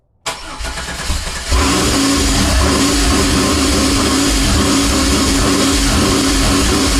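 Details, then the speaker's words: 1987 Fiero GT with swapped 3800 supercharged engine: cranks, catches and runs a busy, slightly uneven idle only briefly on starter fluid; no fuel supply since the fuel pump isn't connected. "So right now there's no fuel, so that's why it only ran for a couple seconds, because it was running on starter fluid."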